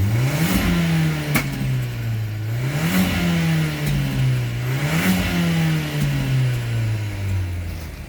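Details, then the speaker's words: VW Golf 7 TSI with DSG, Stage 1 tune, free-revved: three quick throttle blips climb cleanly and settle back smoothly with pops and bangs; revs freely and healthily without cutting out near 3,500-4,000 rpm. "This one doesn't do that, because when I rev it, you can see that it goes out, and so it's got pops and bangs there."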